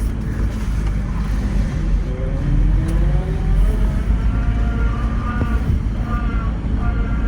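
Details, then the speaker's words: 1990 BMW 535i E34 inline-six, first run after sitting for years: rough low running with a whine that climbs in pitch once first gear is selected; it shifts smoothly and brakes work; owner suspects low transmission fluid or the diff, cause unknown. "oh that does not sound [Music] good that sounds transmission that's like no transmission fluid Vibe huh man it feels smooth the transmission shifts into gear fine that's such a weird sound brakes work fine it's whining is that the diff the diff for the gearbox"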